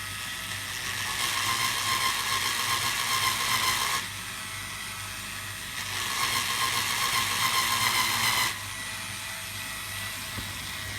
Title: Loud grinding noise from Q-Mart Store's polisher